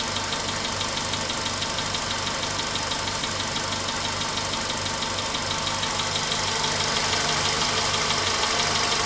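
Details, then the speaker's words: VW Polo Sedan, 99,329 km, idle around 5 minutes after cold start: light regular tap about three per second fading as engine warms, nearly gone by 6 minutes; knock source unclear. "Звук все равно еще слышен. Такой еле-еле слышный стук. Тук-тук-тук-тук-тук."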